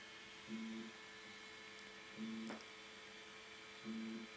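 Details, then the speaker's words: New Elegoo Centauri Carbon 3D printer, door open, during initial calibration: short motor buzzes about every 1.5 s over steady fan hum with light taps; normal roughly 7x7 bed-leveling probing. "Now it's doing the uh I don't know like six or 7 by seven bed leveling."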